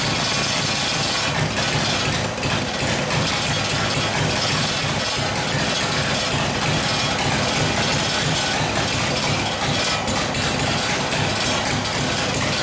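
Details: Harley WL 45ci flathead V-twin in a 1932-34 RL frame, 1939-40 3-speed, no throttle, run at barely-cracked idle, no choke: harsh, uneven clatter with irregular popping and loping; possible fuel starvation, gas perhaps not reaching the fuel line.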